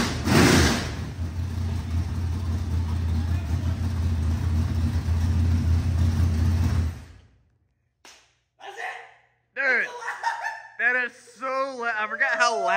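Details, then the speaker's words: 25-year-old small-block Chevy 400 race engine on its first start after a rebuild with new rocker arms, ARP head studs and reworked timing: fires right up into a loud, deep, steady V8 rumble. Healthy idle and rev; the starter solenoid still needs fixing. "but bro this Joker did you hear how fast it fired that that bro fired right up"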